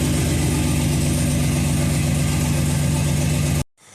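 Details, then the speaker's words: Budget cammed 5.3 L V8, first start after install: lumpy, uneven idle with a choppy stumbling exhaust beat, then shut off; passenger-side bank coil packs were left unplugged, so half the cylinders aren't firing. "I uh St to give a little gas notice right away it was missing I forgot to uh plug the coil packs in on the uh passenger side Bank there"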